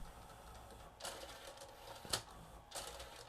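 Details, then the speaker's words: Nakamichi MB-3s 7-disc Music Bank CD changer just after AC power-on, with no discs loaded: quiet whirring and bursts of clicking as it scans the magazine for discs, working normally. The unit skips during playback due to a cracked laser-sled gear. "It's checking to see if there's any discs in there. Certainly looks like no discs."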